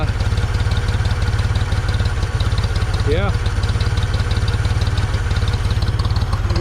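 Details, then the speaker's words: 1974 Ford 3550 industrial tractor, sat 18 years and seized about a month ago, now revived: even, unhurried idle thump holding rhythm with no stumbles or rattles, "purring like a kitten"; radiator very green but looks okay. Normal idle. "58 years old 58 years old she's sitting there purring like a kitten"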